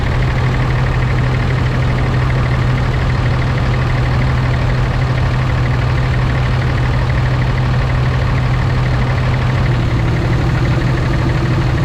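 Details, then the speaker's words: Warm 2006 Ram diesel with exhaust brake engaged: deep, steady drone with a constant low hum and a slightly heavier note late on, sounding like a semi's exhaust brake and working normally. No blow-by found. "so it makes a little bit of a different sound sounds like a semi exhaust break right over there"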